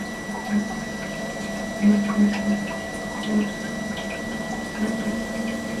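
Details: Webasto diesel heater on a boat, supplying hot water and central heating, after pressing the red button; steady low hum with a few irregular soft pulses as it primes, fires up, draws and pumps; normal start-up.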